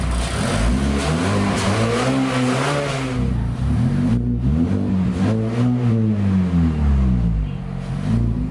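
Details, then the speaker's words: 2019+ 4th-gen Mazda 3 non-turbo with aFe Takeda Momentum cold air intake (Pro DRY S filter), warming after cold start: several free-rev blips with clean even pitch rises and falls and deep intake note; normal. "And yeah, do a couple revs, because I know that's what people like to see."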